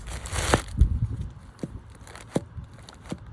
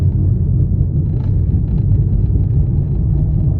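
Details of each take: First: New replacement wheel bearing for a 1.2 petrol Vauxhall Corsa C, spun by hand off the car: quiet, with only handling clicks and rustle, no grinding. The old bearing it replaces sounded grindy and crunchy. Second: Vauxhall Corsa C 1.2 petrol, engine off while coasting: deep, steady rumbling grind from a badly damaged front wheel hub bearing.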